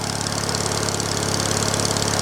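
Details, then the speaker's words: Small single-cylinder engine, same motor as on a big wheel, started after long storage: runs fast and even with a faint occasional stumble, a slight misfire. "got a little bit of a misfire in there"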